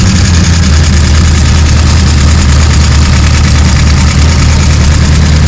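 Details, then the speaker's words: Gen 3 Hemi V8 on an engine run stand with Holley accessory drive, pre-lubed, run; deep, steady idle with an even beat and no clanks or ticks; sounds solid, normal idle. "So we've got a few little no leaks, no clanking, no rods coming out anywhere. She sounds pretty solid."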